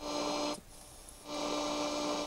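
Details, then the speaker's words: 1966 Zenith Royal 51 transistor radio on AM held near a second working AM radio tuned mid-dial: that radio's hum and hiss drop out as the Zenith cancels it, confirming the local oscillator runs; fault later traced to transistor X4. "that this radio is canceling it so that's why i believe the oscillator is working in this radio"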